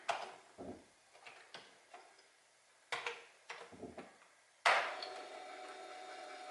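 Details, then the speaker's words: Commodore 1541 floppy drive from a backyard shed, loading a directory: sharp irregular head clacks, then a steady rough grinding whir while reading; it struggled with the disk. "looks like it's working makes a makes a kind of a grinding noise you can probably hear that"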